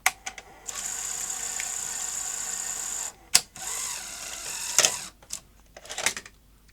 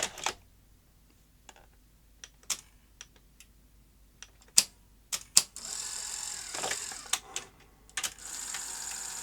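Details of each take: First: Sony SL-HF900 SuperBeta NTSC VCR after fixing the loader spring: steady motor whir, then sharp snaps as the cassette is ejected quite forcefully; loading and eject work properly. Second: Sony SL-HF900 SuperBeta NTSC VCR front loader cycling and stalling with uneven clicks and short motor whirs; gear timing was set per the model's setup guide but still wrong, traced to a misadjusted spring in the loader gearing.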